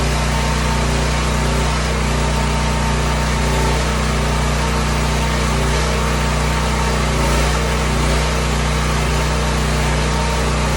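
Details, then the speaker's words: Serviced emergency generator, unused three years, running outside; steady even drone holding one speed with no surging, knocking or misses; runs pretty good, noisy. "run pretty good i'll bring you back in a bit when i get that other one all shut off it's pretty noisy"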